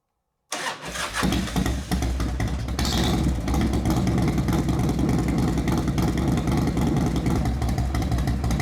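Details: 1998 Harley-Davidson Fatboy Street Stalker, first start after a full service with new engine oil, oil filter, transmission and primary fluid: a quick crank, catches cleanly, settles into an even, lumpy potato-potato idle. Normal, healthy start and idle.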